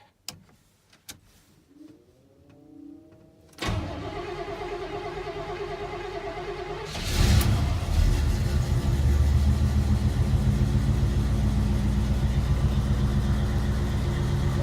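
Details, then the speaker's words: 1983 Chevy K20 truck with a cammed 305 V8 and carburetor, cold start on choke after a suspected carb vacuum leak was fixed: starter whirs a few seconds, then it catches and settles into a steady, deep, even idle with no stall. "That sounds pretty good. I don't think we're gonna stall."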